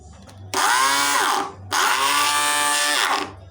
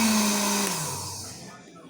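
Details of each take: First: Arno blender run with jar fitted: two short bursts of high unloaded motor whine with a harsh edge, as the stripped drive coupling where the nut seats no longer transmits power to the jar blade. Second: Arno blender after repair, replacing the stripped coupling part: a short pulse gives a smooth high whir that winds down evenly, with no grinding or rattle, now running normally.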